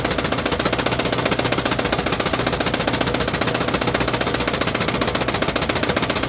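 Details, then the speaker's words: Australian-built Leyland Mini Clubman 1275 in a customer's clip: hard, fast metallic knocking at nearly four blows a second over the whole engine; knocking its head off and stalls when the clutch is pushed in. "all right so as you saw that thing is Cactus he said he's knocking off his head when you put it for the clutch the engine stalls now that is a really really bad sign"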